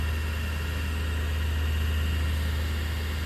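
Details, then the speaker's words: Wen 3420 variable-speed 8x12 mini wood lathe, first start-up, speed run up higher: smooth constant low drone, no knocking, wobble or rubbing, still no vibration felt; motor running normally. "Okay, we'll run it on up. Still no vibration felt."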